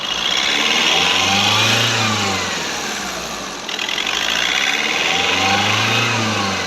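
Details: Skoda Rapid diesel after injector replacement: revs climb and settle in slow smooth waves by themselves, no knock or misfire, during the automatic injector adaptation, accessories off; normal.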